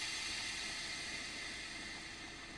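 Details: Fiat Ducato camper van with newly fitted On-Air air suspension kit: steady airy hiss slowly tapering off as the suspension fills and levels the van; normal inflation.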